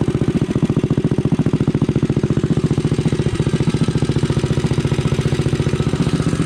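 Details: Rascal GT cruiser minibike running with a newly installed pit bike muffler (bolted to a mount, floating unclamped in the pipe): quick, even thumping, mellow exhaust note, no misses; normal running.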